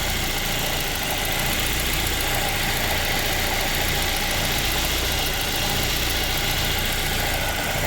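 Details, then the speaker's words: 2010-13 Ford Transit van idling after serpentine belt tensioner replacement (old one threw the belt): steady smooth low drone with no squeal, chirp or rattle; pulley not wobbling, normal idle. "I don't see where the pulley's moving any, so that might be all it was. I'm just going to let it idle for a while."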